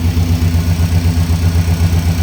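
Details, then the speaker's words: Engine after something that had fallen inside the clutch cover ring was removed and the belt refitted: low, steady idle with an even pulse and no more thumping or knock; normal idle. "Nice low idle. No more thumping. That's what we needed right there."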